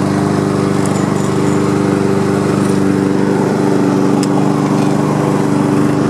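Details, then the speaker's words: Honda HRM215 mower after repair (new pull rope, unclogged fuel line, carburetor work, new drive belt), started on choke on a hot day: even, steady buzz at constant speed, no misses or surging; runs normally, drive seems weak. "all right well now it is fully functional"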